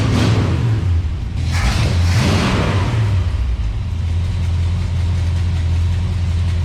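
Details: Plymouth Belvedere with stock 383 V8, battery needing a charge, started with a little ether: rough surging bursts as it catches, then a steady, deep idle. It starts and idles fine.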